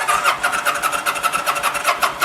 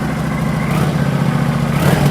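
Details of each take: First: 2009 Kawasaki VN900 Classic, fuel-injected liquid-cooled V-twin, sat a season with old gas: brisk, even cranking near three beats a second, fuel pump primes, battery healthy, but never catches; fouled spark plugs prevent firing. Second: 2009 Kawasaki VN900 Classic, fuel-injected V-twin that sat a season and wouldn't start, just after a spark plug was refitted: steady, even lope with no misses or stumbles, firing on both cylinders; normal idle.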